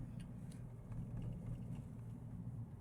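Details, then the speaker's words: Mahindra Thar ROXX driving over rough road after repair of engine-side noise that was previously heard on rough roads; now only low, even road rumble, no knocks, rattles or clunks: normal drive. "अभी आप इस गाड़ी में देख सकते हो अभी कोई आवाज नहीं आ रहा है"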